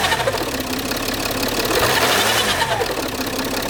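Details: Peugeot 607 2.7 HDI diesel at idle: uneven gritty grinding and scraping over the running note with no steady beat. Grinding noise at idle, source not pinned down.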